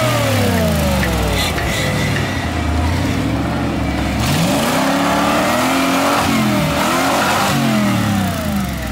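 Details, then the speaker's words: Ford Bronco with Holley Sniper EFI, timing set back to 34: revs climb hard, then break up and drop in a repeated stumbling cut near the top. Suspected to be banging off the rev limiter, with a sticky throttle. "sounds stop banging it off limiter fing the throttle is sticky okay no more then"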